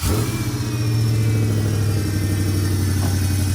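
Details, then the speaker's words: Gen 1 Ford Raptor with its original power steering system; engine revs and holds with a loud steady whine and groan while driving, worse turning left; points to the power steering pump, which is being replaced; cause suspected, not confirmed. "and i mean not not just a little loud i mean like this thing house when you're going down the road it groans every time you turn to the left it's just it's it's noisy"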